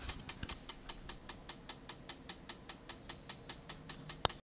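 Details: Sigma 10-20 lens with steady even light clicking about five per second over quiet background; lens mechanism clicking, cause not found.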